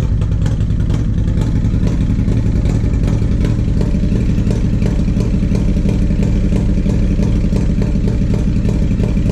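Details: 1994 Harley-Davidson Road King FLHR, original 80" EVO, Carl's Speed Shop heads, CV40 carb, Screamin Eagle air cleaner and 2:1 exhaust: lumpy V-twin idle with irregular popping and uneven stumbles, a misfire on light throttle from a faulty carburetor, before the rebuild.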